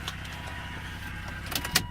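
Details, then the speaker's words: 2003 Volvo XC90 T6 automatic: a faint, thin, steady high whine over the idle, like it is sucking air; owner suspects possibly the transmission pan filter, unconfirmed. "I'll give you a listen to the transmission you'll hear the whine here that it's like almost like it's sucking air so who knows maybe it's just a filter in the pan"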